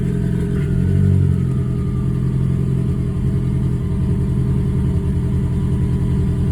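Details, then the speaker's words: Ford Focus warming up at idle, recently fitted with new spark plugs and injectors, timing suspected off; uneven lumpy idle with skipped pulses; scan tool shows misfire count six, cylinder three misfire detected. "Something is not right. Let's see. injection mode three. I don't see I really wouldn't know what to look for. Misfire count six. So is she misfiring? Really? So, we have a misfire detected cylinder three."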